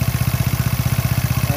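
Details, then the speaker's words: Motorcycle engine with a rough, clattery idle of about ten pulses a second and a rattle riding each beat, from a worn rubber damper in the crankshaft pulley. "ini suaranya kasar dari sini ya kalau dilihat sih dari sini kirian ini suaranya kembelicik banget enggak enak didengar"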